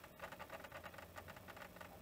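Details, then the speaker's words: Panasonic NV-V8000 VHS deck in pause during jog: quiet rapid creaking ticks, about seven a second, over a low hum as the capstan strains; owner suspects an incompatible pinch roller. "Okay so I'm starting to wonder you can hear that creaking whether I actually have a pin roller problem maybe this pin roller isn't compatible after all"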